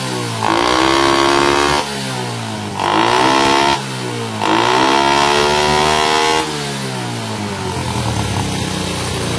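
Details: Honda Supra motorcycle after carburetor fix for not revving fully and slow throttle return: revs cleanly up and back down in three blips, rising and falling smoothly with no stumble or hang-up; air screw still to adjust. Normal revving.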